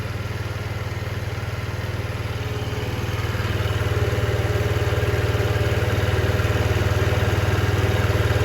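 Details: 2007 Diamo Retro 50 GY6 scooter with a new intake tube, idling after a starting-fluid start; fuel is flowing, and owner suspects valve adjustment behind the no-start. Low, even putter with regular firing pulses and no miss or clatter. Normal idle.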